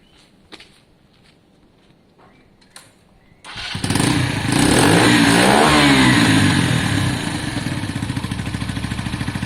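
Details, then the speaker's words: KSR Moto GRS 125 after fitting a cone filter (jetted for it, previously jittery): engine catches, revs up cleanly and settles into a steady even fast idle with no stumble; revs much smoother, though it wants a bit more air. "Yeah, you can hear it. It's been jetted for this cone. You can hear it straight away, guys. The revs are much smoother."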